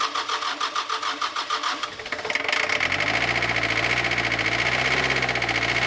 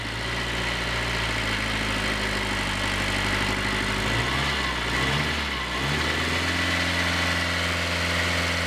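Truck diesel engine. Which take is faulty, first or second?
first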